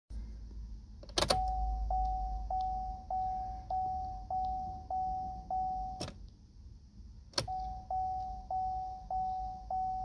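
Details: Opel Mokka no-start: steady dash chime about every 0.6 seconds with a few sharp clicks but no cranking; engine won't turn over.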